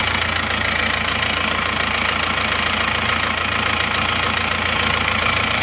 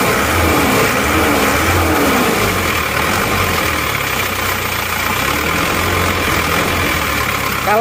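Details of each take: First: Isuzu Panther diesel running temporarily on Elf injector nozzles, original nozzles to be fitted next: steady, even idle with constant clatter, no misses, smooth but harsh, not soft-toned, slight thin smoke; normal diesel idle. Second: Isuzu Panther diesel with a used replacement block, previously rough, uneven and smoky: harsh clattery running rougher than other Panthers, with shaking at very low rpm; fan belt noise suspected.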